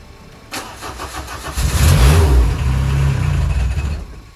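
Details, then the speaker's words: Peugeot 205 with a replacement engine block after a broken camshaft, first start after several attempts: steady even low beat with all four cylinders firing cleanly, though it does not yet hold idle. "ok ok bon ben après plusieurs tentatives déjà le moteur il tourne on entend qu'il tombe bien sur les quatre cylindres déjà ça c'est une bonne chose"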